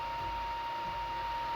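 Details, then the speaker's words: Constant thin, high whine over a quiet background from the power supply cooling fan of a modded Anycubic i3 Mega during its first print in carbon-fiber PLA. There is no stepper motor noise; the noisy power supply fan is due for a Noctua replacement. "it's the only nice you can hear it's from the um the the fan the power source fan i'll change it eventually as soon as i can"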